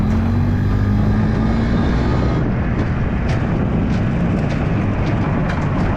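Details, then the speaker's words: Yamaha G1 two-stroke golf cart after engine rebuild, driving under load: low steady drone, smooth churn, no knocks, misses or surging; pulls cleanly. "that it sounds nice and Cris by he that that stroke that you know the crispy sound it sounds good"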